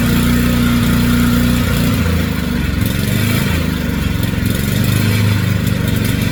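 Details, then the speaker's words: Generac 3500XL generator after replacing faulty low oil pressure switch, old one always grounding out the engine: steady even engine drone at constant speed, no misses or knocks; normal running. "All right, guys. So, I got that in there. I did just turn it on and it ran awesome."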